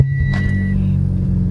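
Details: Mitsubishi Evo X idling after new coil packs fixed a misfire: short, steady, even low rumble with no stumble; check engine light still on, compression test planned.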